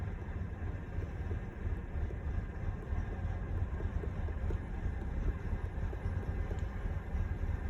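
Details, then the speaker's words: Engine at idle with EGR valve commanded open, MAP rising to about 70 kPa as a massive vacuum leak: deep low rumble turns uneven and lumpy; idle stumble from open EGR valve. "Now watch what happens when we start to open this. Now listen to the engine, you can hear it stumble."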